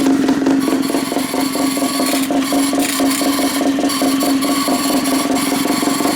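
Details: Pull-start gas rat bike, small single-cylinder engine just started: settles into a steady, even run at constant pitch with no knocking; pull start noisy but engine sounds healthy.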